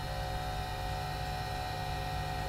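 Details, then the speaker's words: Early 486SX laptop, floppy drive with disk inserted: steady mechanical hum with pulsing low rumble as disk spins, not normal floppy noise; drive likely faulty, cause unclear, after a controller failure message. "well that's not the noise a floppy drive should make and is going to be the killer"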